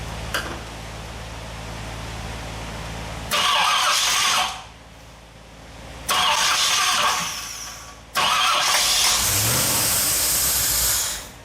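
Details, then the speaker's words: 1964 Ford Thunderbird FE 390 with Edelbrock EFI, first run in over 40 years, fuel pressure set correctly: V8 surges in bursts and sags, never settling; owner suspected timing — rough idle. "all right got the fuel pressure set to where it should be but this thing's not settling out so I'm not sure what it's fighting it feels like it's fighting itself somewhere"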